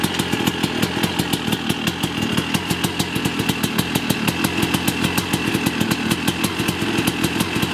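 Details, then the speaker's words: Yamaha YZ250 two-stroke after rebuild and fixing an electrical fault, first start: crisp rapid popping at a steady high idle with raspy buzz and even beat, warming up on choke; running healthily. "I can't believe it started. You know, I might run it for a couple of minutes just to get it warmed up here."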